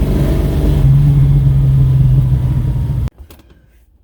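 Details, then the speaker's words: 1969 Pontiac GTO with newly rebuilt engine, after fixing an exhaust leak: throaty V8 pulls evenly under throttle, slight gurgling backfire, no puffing or hiss; healthy, sealed exhaust note under acceleration. "there's still a little bit of backflowering but it it's that awesome verbal gurgling burgling so this sounds awesome"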